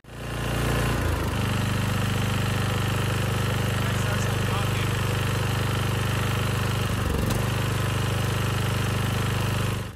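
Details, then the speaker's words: 10HP Briggs and Stratton engine (model 21T212-0116-G1), first rebuilt with a new rod and piston after running out of oil, fitted on another generator under load: rough hammering knock tied to engine speed; connecting rod knock from an out-of-spec crankshaft journal. "but fast forward to the second video where i actually put this on another generator that had a blown engine i quickly realized that this engine was knocking"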